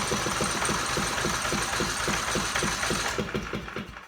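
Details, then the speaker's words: Portable generator, 4-stroke, electric start, no fuel, cranked for storage prep to lubricate the valves: even chugging compression beats about three and a half a second, no knock, then coasting down; normal cranking. "So we'll do this a few times to make sure the valves are good and lubricated."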